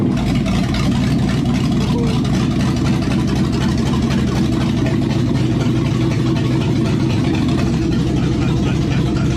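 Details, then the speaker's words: V8 after a long sit, previously not idling, after the passenger-side valve cover that was hitting a rocker was dented in: it idles steadily with a deep, even rumble, no tapping, running really good. "Oh, she sounds happy, buddy. It's running really good now."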